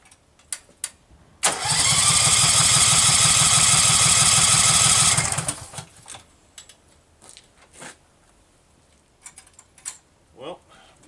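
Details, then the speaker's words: Case 446 tractor, first start during restoration: about four seconds of steady starter cranking with even compression beats, fuel reaching the carburetor, engine never fires; no spark, later traced to a wiring fault. "sounds like a spark problem like I'm not getting any spark"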